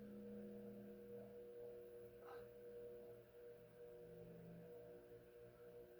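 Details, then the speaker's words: Fasco Heat Cycler model C52 commercial/industrial ceiling fan running: quiet, steady motor hum with faint tonal drone and slight metallic ring; not silent, between bedroom and living-room loudness, meant to hang high up. "Well, it is all metal on metal and plastic. I mean, it's not awful. I mean, It's on the cusp between bedroom and living room."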